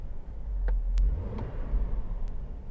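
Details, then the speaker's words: Hummer H3 with Monsoon amplified audio after swapping the PAC RP3-GM11 adapter for an Axxess GMOS-04, driving and revving: only low steady road rumble under the stereo, no alternator whine; audio feed clean. "okay the good news about the GMOs 04 is there's no alternator one as soon as I do any revving on that packet this one sounds great"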